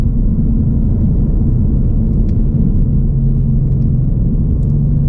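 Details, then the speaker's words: 2021 Ford Mustang Mach 1, 10R80 10-speed rebuilt under warranty, 21,000 miles, in Sport Plus: deep steady engine and exhaust drone with gentle pitch steps while downshifting from sixth when slowing, normal smooth downshifts with no clunks. "so I'll show you what the normal downshifts look like so we can kind of identify the problem"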